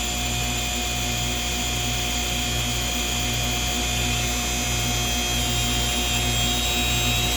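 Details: Inductoheat SP9-100-10 induction heater making a steady high whine over a low pulsing buzz with power set at zero.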